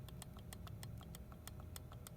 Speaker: you want to still be able to wiggle this spur gear and the pinion is barely clicking if you guys can hear that